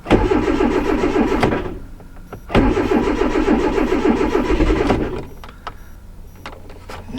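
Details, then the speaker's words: 2010 Hyundai Accent, no-start returning after starter and front O2 sensor replacement; earlier sounded flooded, now doesn't; clear-flood mode tried: starter churns in bursts while engine tries to catch, stumbles and dies; cranks but won't start. "Yeah, it doesn't sound like it's flooded now where before it sounded like it was flooded."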